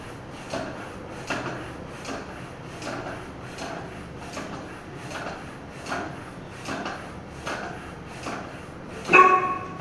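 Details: Triban RC 520 road bike tyre being inflated after mounting, presta valve, toward 90 psi max: regular pump strokes, then a sharp crack near the end as the bead snaps into the rim; tyre seating properly.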